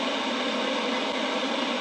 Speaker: that's an effect i wanted you to hear that is a harmonic of the quench frequency in the vhf band